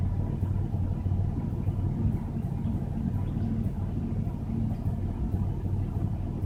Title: Regal misfire